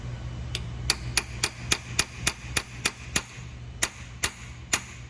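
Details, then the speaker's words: Rebuilding a CFT seamer, part hand-threaded in and then tapped snug with a pin and hammer: taps about three a second whose pitch rises an octave or two, showing the part has bottomed out and is seated. "you guys hear how it went up in an octave or two there that means that that's in place"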